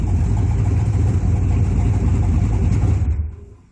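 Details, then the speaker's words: 1966 Buick Skylark bracket drag car freshly LS-swapped, probably warm, idling before shutoff: deep, lumpy V8 idle with brisk, even pulse, no knocks or misfires; running healthy. "that sounds wicked. Probably shut it off now, it's probably warm."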